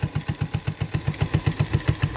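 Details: 1984 Honda ATC 125 three-wheeler idling after a carburetor swap. An even, steady put-put at about six to seven beats a second with no misses or stumbles. Normal single-cylinder idle.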